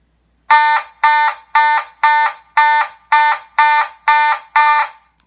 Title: Simplex 2903-9001 Light Plate + Simplex 2901-9806 (Warning Loud Noises!)